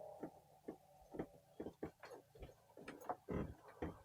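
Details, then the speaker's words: Motorhome floor panel above the axles, walked on inside while parked: sharp irregular creaks and scrapes, one with each footstep, about ten in four seconds; panel creaks constantly underfoot, not heard while driving; loose floor panel suspected. "voilà ça grince tout le temps en fait ça ce morceau de plancher ça c'est le morceau de plancher qui est au-dessus des essieux ça grince tout le temps"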